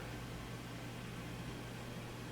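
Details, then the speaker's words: Samsung convection oven with the noisy middle fan motor unplugged: the remaining convection fans give only a very soft, even hum with no rubbing or ticking, the normal quiet sound. "this is what we should hear fairly quiet you hear a little bit of fan but nothing loud or crazy"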